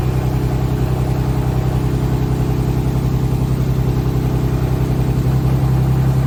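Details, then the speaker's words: E46 BMW turbo engine at idle: low, even ticking knock about three or four per second, like a knock or an exhaust leak; exhaust retightened, valve cover removed and PCV cam covers swapped but the noise persisted, later gone. "It was making almost like a knocking noise or an exhaust leak noise, so I took all the exhaust, everything off, retightened everything, removed the valve cover even, and swapped the cam covers for the PCV system."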